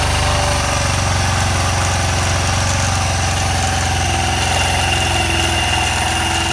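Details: 1985 Honda Elite 150 scooter after drive belt replacement and variator weight check and lubrication: fast, even single-cylinder putter holding steady at idle, no knocks or slipping; idling normally.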